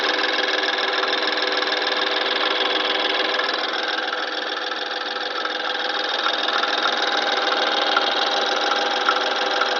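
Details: 2013 (63 plate) BMW N20 petrol engine, about 6K on the clock: steady fast metallic chatter over a high, thin cold-start idle with faint ticks; owner wonders about turbo wastegate flaps, source not pinned down.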